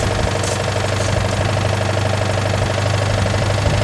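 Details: Citroën 2CV flat-twin after fuel had drained back over time and float bowls were primed with a hand bulb: steady, even chatter at idle with regular beat, no stumbles or missed firing; running properly.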